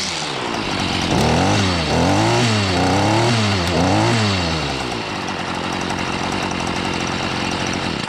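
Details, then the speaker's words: Two-stroke chainsaw on last year's gas, pulled out after storage for spring: pitch surges up and down about four times, hunting unevenly before settling to a ragged idle; rough running, cause not confirmed. "ninja shark don't sound too healthy s squat don't sound too healthy"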